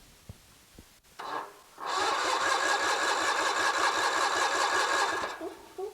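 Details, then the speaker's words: Kohler 23 HP big block engine, cranked on a battery/jump pack before checking spark: even, rhythmic starter churn for about 3.5 seconds at steady speed, turns over freely without firing. "All right, looks like she's turning over good."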